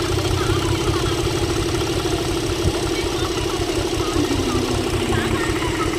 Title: # Chevrolet Engine misfire